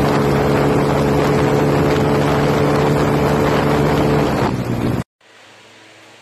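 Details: Yamaha T50 two-stroke bored to 80cc then 51mm, with carburettor, exhaust and external tuning: high-revving buzz held steady as the bike passes, then fades cleanly; runs strong with no misfire or knock. Normal running.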